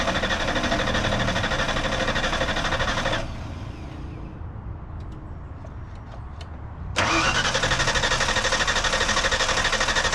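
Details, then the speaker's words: 1991 Ford Mustang Fox body barn find, newly installed fuel pump, tank hanging with very little gas: steady starter cranking about three turns a second, twice, no firing; cranks but won't start, tank dry, needs more fuel. "Probably needs more gas. I'm trying to put more gas in it. It's It's dead dry. I I literally emptied the whole thing."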